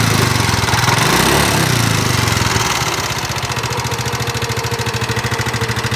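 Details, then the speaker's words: Nmax (2019) scooter whose owner says the engine recently had its piston and block replaced, still rough. Revs briefly, then a fast, rough, clattery tick at idle; mechanical ticking, source undetermined. "motor teman-teman nmax suaranya kasar pada bagian mesin utamanya dari pengakuan si konsumennya Belum lama ini motor dilakukan perbaikan mesin ya teman-teman"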